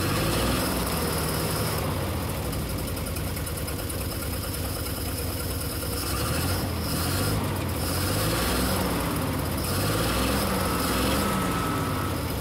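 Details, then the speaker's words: 1950 DeSoto S14 flathead six with no electric fuel pump, gas fed from a bottle plumbed into the carburetor: a low steady rumble at about four beats a second with no stumble. Even idle on the temporary fuel supply, after earlier suspected hanging exhaust valve. "I don't have an electric fuel pump yet so so I got my Dasani gas plumbed into the carburetor"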